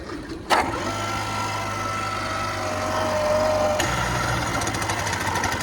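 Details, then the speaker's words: Bike Bug trike engine reinstalled after exhaust gasket and fuel primer bulb replacement, test ride; engine dies with drive wheel engaged and front tire back-drives the one-way clutch, harsh metal-on-metal rattle as it freewheels, hideous but normal. "Yeah, I know that noise is hideous, but it's actually normal. Kind of. There's a one-way clutch inside, and when the engine dies when the drive wheel is engaged, the front tire turns it the opposite direction. So, it freewheels, but it's metal tabs on metal."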